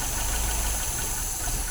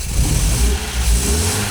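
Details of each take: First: 1980 MGB twin SU carbs, piston lifted with the plunger during a mixture check. The idle sags and stumbles instead of rising, indicating a lean mixture; that carb is to be richened slightly. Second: 1980 MGB with twin SU carburettors, engine cold, just after airflow balancing. A quick throttle blip revs up cleanly and settles to a steady idle without stumbling or popping.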